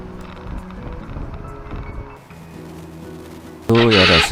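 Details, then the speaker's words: Honda Cross Cub JA10: loud wavering high screech at start-up from a faulty starter motor; replacing the starter motor made starting quiet. "叫んでいるような声で可愛いのですが、ちょっとうるさいので調べてみました。"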